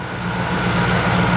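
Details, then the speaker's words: 1990 Dodge Ram Charger, previously non-running, idling with fuel return bypassed from throttle body into a jug: steady even idle with smooth low hum, no misses or knocks; runs perfect. "he helped me figure this out it runs perfect let me go ahead and turn it off"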